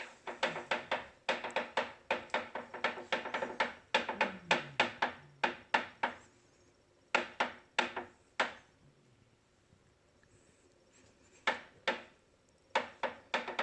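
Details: Bowflex VeloCore bike about ten days old, ~175 minutes use: sharp dry clicks in quick bursts, about three a second, while pedaling in quiet room; clicking around pedal and flywheel area, absent when flywheel turned by hand.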